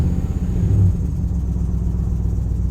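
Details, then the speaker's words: 2007 Chevrolet Silverado 5.3 V8 at idle: deep rumble with an uneven beat and recurring dips as one cylinder drops out; misfire persists despite new injectors, intake gaskets and known-good coil packs; plugs reportedly recently changed. "But still chasing this misfire. I don't understand it."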